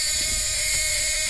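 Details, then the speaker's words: 1979 Ford Fox-body coupe key-in-ignition warning buzzer: harsh, raspy steady mid-pitch buzz with hissy top end that changes frequency; working normally but obnoxious, to be swapped for a mid-80s chime. "this is an early ford buzzer they started using i'm not sure when but it's obnoxious listen to that sound and on top of that it changes"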